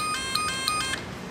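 Crisp relay clicks, each answered by a steady high meter beep; the contacts are closing properly and the relay is working.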